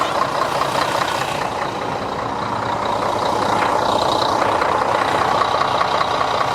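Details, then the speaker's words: Diesel bus engine started just after an oil change with the oil filter and seals refitted: steady running under a loud, level airy hiss; the small filter cover was found sitting slightly crooked, with air suspected escaping there. "Le bruit, on dirait que le capot du filtreur il est pas, faudrait que je le remette mieux. On dirait qu'il y a de l'air qui sort par là, non ça se passe."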